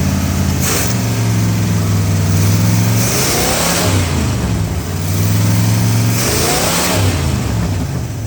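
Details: 1970 Oldsmobile Toronado 455 V8 that sat for years in a construction yard, choke held on with a screwdriver and on a battery charger: it restarts and revs in swells over a lumpy idle, then overheats.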